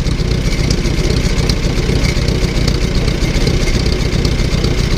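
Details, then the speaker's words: Newly bought old tractor at idle just after starting on choke, with a steady even chug and no knocks, ticks or misses. There was a little smoke at start. "no weird noises coming out of the engine"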